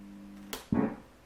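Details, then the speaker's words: Steady hum, a sharp click at switch-off, then a loud thumping pop in the built-in speaker of an old organ (cheesy organ); the pop grows louder with higher volume, a problem fixed with a 4.7nF 250VAC capacitor. "et comme on peut constater on a un poc et bien sûr si vous montez le volume le poc maintenant être bien évidemment encore plus fort"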